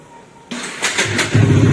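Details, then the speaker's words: Bajaj Dominar 400 in neutral, self-start: three harsh knocks while cranking near the magnet before the engine catches and settles, sometimes the starter spins free; starter one-way clutch failure. "तो आपने सुनी इतनी खतरनाक आवाज खटखट आ रही है और कभी-कभी तो य स् फ्री हो जा रही है"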